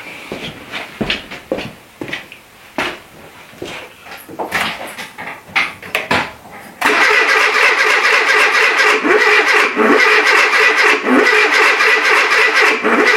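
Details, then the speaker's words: Renault Trafic with junkyard C1J S 7000 engine, unrun for about 15 years, rebuilt and refitted, with start pilot sprayed: uneven cranking stabs, then steady spinning about four turns a second that never catches; ignition suspected firing reversed, 180 degrees out. "j'ai l'impression que l'allumage il se fait à l'envers je vais voir ça c'est complètement le décalé"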